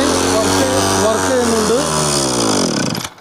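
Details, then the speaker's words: Two-stroke brushcutter after choke repair, throttle cable now fitted: buzzy engine revs high and steady, then drops and shuts off cleanly; works, though cable is too short. "Work ചെയ്യുന്നുണ്ട്."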